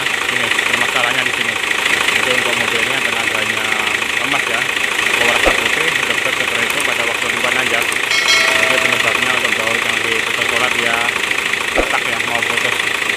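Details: Hino Lohan 260 TI diesel truck with loss of power on climbs, high-rpm stumbling and white smoke, started after repair work: settles into steady idle with even clatter around 200 beats a minute, no stumbling.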